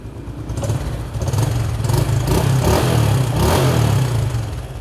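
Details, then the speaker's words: Honda Supra X (Indonesian import, fuel-injected, 3,000 km) idling: steady, even soft putter with light revs, no knocks or rattles; engine runs smooth, normal idle. "Mình đang nổ máy nha, máy êm ru luôn các bạn."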